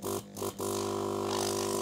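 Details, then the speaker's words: Cheap Chinese air compressor fitted as air assist for a K40 laser, first switch-on: a couple of stutters, then a steady, deep didgeridoo-like droning hum with no rattles. Runs normally. "this will probably make some noise so if you use headphones i warn you and three two one sounds like a didgeridoo"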